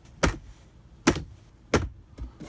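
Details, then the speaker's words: Ikea cellular blind in a bus conversion, driving with the air conditioning off, after its rattling internal spring was wrapped in paper towel: only a few soft, irregular taps over low road rumble, with no spring rattle. "That might rattle around just a little bit, but there's no spring in there. Or there is a spring in there, but it can't make noise. I wrapped it all in some paper towel."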